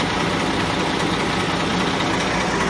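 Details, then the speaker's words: 2004 Nissan Frontier VG33E V6, about 183,157 miles, warm at about 190–195°F after a test drive: hard, diesel-like clattery chatter over the running engine; failed hydraulic lifter despite good oil pressure. "that's what the failed hydraulic lifter sounds like"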